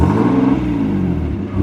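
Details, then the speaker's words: Turbo Nissan 370Z NISMO revved, mic underneath: raspy, rattling exhaust note from an exhaust leak found with a smoke machine. "I'm not too for sure if you guys can hear that, but like you can legit hear that there's like some type of like rattling exhaust leak down here."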